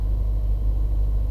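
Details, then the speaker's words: 2016 Subaru WRX CVT, cold winter (20s–30s °F) warm-up: smooth even low rumble held at about 1500 rpm, waiting for idle to drop; normal cold-start high idle. "We're still waiting for the car to warm up and idle down. We're still at actually 1500 RPM."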